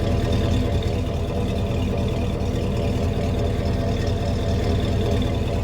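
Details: Cheap high-mileage Chevy Silverado 6.0 V8 running: deep, even rumble with steady low beat and no knocks or ticks; engine running healthy.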